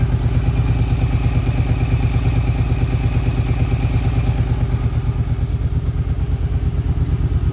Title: Ticking sound 2008 Suzuki Boulevard C50